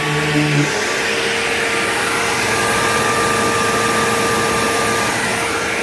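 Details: Bissell PowerGlide Platinum 3545-2 upright vacuum, acquired around 2018, running: an even motor rush with a thin, steady whine above it that holds its pitch throughout. Owner calls the whiny wah noise bizarre and does not know its cause.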